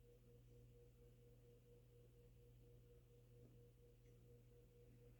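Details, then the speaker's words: Late-1970s Kmart/Lakewood K-223 20-inch box fan with a McMillan motor, spinning down from low: a smooth, steady coast-down hum with no scraping or rumble. Good spin-down time, so the bearings are still good. "that's a very good spin down time still got really good bearings"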